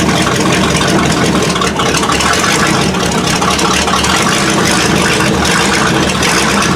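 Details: 1979 Chevy K20 V8, first start after winter storage: high, uneven, loping idle near 2000 rpm that dies off throttle. Manual choke is not hooked up. Owner suspects poor fuel flow, the inline filter or sticking floats. Cause unclear.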